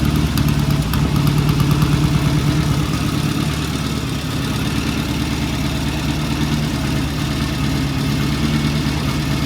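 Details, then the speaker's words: 1974 Norton motorcycle after the ignition timing was set and the idle turned up slightly. Steady, even idle at about 800–900 rpm with a regular beat and no knocks or misses. Normal idle. "And I turn the idle up just a little bit. That's about an 800, 900 RPM idle. And looking good."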